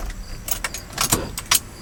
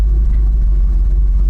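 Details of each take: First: 1989 GMC Sierra 3500, compression test on cylinder No. 2, cranked with the key 3-4 times without firing: even, steady churn; reading about 130-132 psi, healthy. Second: 1989 GMC Sierra 3500 350 V8 with HD 400 transmission, just started: uneven, lumpy idle with intermittent stumbles, like a cylinder dropping out from worn plugs and low compression; runs fine until loaded.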